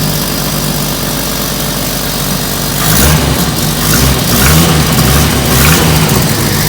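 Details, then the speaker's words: 1991 Jeep Wrangler YJ 4.0 inline-six, supposedly a stroker, started after pickup: runs rough and loud with a raspy, puffing exhaust note that sharpens when revved, a bad exhaust leak. "and obviously it has bad exhaust leak"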